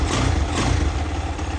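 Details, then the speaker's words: 2022 X-Pro Vader Grom clone motorcycle after swap from stock 125cc 4-speed to ZS190 190cc 5-speed engine, Nibbi air filter, in neutral: single-cylinder thump picks up quickly and evenly on the throttle without stumbling; normal, really good throttle response, fantastic over stock. "really good throttle response like fantastic over stock"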